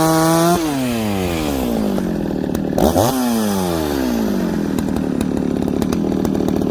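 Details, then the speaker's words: Ported longer-stroke Dolmar chainsaw cutting through knotty wood: high scream dips as the chain bites, then holds and pulls through without stumbling or hesitating; normal running under load. "okay friends did you hear that whoa all the way through didn't stumble hesitate"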